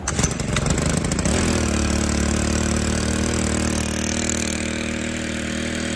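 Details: Stihl FS 110R 4-Mix trimmer, in for a broken clutch spring, run on the bench with the clutch not engaged: catches after a few pulls and screams at a high steady buzz with the throttle fully closed; won't idle down, high idle.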